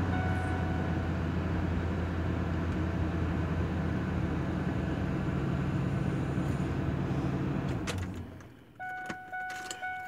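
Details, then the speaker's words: 2000 Ford Expedition 5.4 after ignition switch replacement (engine had stayed running with key out, loud clicking under dash): V8 idles steadily, then shuts off cleanly, only a dash chime, no clicking. "uh there's no clicking and I was in a rush to do this so that I didn't have uh the video showing what the clicking noise sounds like"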